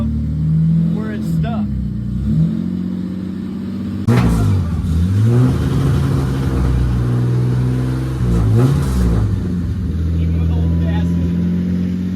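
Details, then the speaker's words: Long-parked BMW ('ran when parked'), revived: it idles steadily, then revs rise and fall smoothly with no knocks or stumbles. It smokes a little. "oh my like a kitten well I mean it's a little bit of a wiring nightmare but got her fired up"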